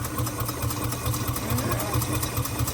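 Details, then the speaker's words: Warm 1948 Studebaker Champion flathead six (radiator warm, thermostat open) idling lumpily with a regular stumble: cylinder No. 6 dead, its exhaust pipe shows no heat; owner suspects corroded, unprotected plug wires/boots, as seen before on flatheads. "Anyway, in the past, I've had corrosion issues and the plug wires cause misses like this on flatheads."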